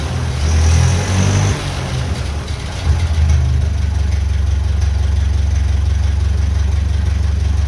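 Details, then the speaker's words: 1957 Ferguson FE35 TVO tractor, Zenith 28G carb (actually petrol-spec), low idle falters and lumps as revs rise; transition stumble from a 70 slow-running jet fitted where an 80 is needed. "So, I'm going to have to try and get one from Villar Spares. Um they can make one and I'll fit that cuz you can hear there is a bit of a change coming from the idle to the main jet."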